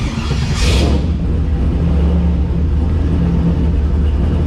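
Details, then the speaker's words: Owner-built LS-swapped turbo Mustang (Turbo 400, 2.5-bar Snake Eater, stage two cam, Holley Terminator X) on cold start: deep, even rumble settling straight into smooth idle with no stumbling or misfire, much improved over the previous day. "take that it's like a whole new car compared to yesterday"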